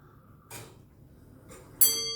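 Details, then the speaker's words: Comtoise (French longcase) clock just reinstalled on a hard tiled floor against a wall after a house move, tested before nine o'clock: quiet ticking, then one clear bell strike ringing on and fading evenly; half-hour strike works properly. "donc là on va regarder si la demi-heure ça passe bien"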